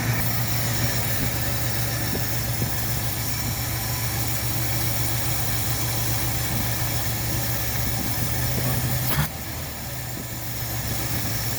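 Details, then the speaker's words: Ford Galaxie 500 revival running on a temporary fuel setup, in forward gear: a steady, even idle that sits slightly fast with no knocks or misses. The idle needs turning down a little. "stand to be idled down just a little bit. We'll do that."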